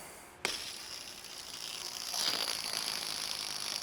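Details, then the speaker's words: BMW E60 M5, S85 V10, crash-damaged project: removed water pump pulley spun by hand gives a dry, gritty whirr like a chopper as it coasts down, and was binned. Worn water pump pulley bearing. "Sounds like a chopper. About to fly off."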